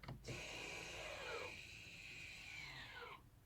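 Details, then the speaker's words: 2015 Volvo XC60 electric parking brake after rear pad and disc replacement: a smooth, even motor whine of about three seconds with a dropping pitch as the rear caliper adjusts up and applies normally. "There, I could hear that. I don't know if the camera picked it up, but it all sounds good."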